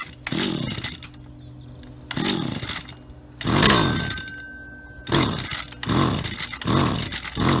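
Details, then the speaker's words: Auction-bought Stihl HT75 pole saw two-stroke, head cleaned, test run: short sharp throttle blips, revs climbing and falling cleanly and settling back to idle; works perfectly, normal. "so there we have it ht75s from an auction and they work perfectly and they're even sharp so uh a win-win i think"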